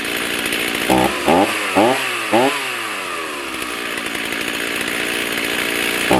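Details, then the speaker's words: Stihl MS310 chainsaw, warm after 10–15 minutes idling following ignition coil/gap repair (previously stalled when hot); several crisp rev-ups from idle climb quickly and fall cleanly back to steady idle; normal throttle response. "Okay, she's been running for probably 10-15 minutes. We're sitting at idle. Let's see if she still throttles up like she's supposed to."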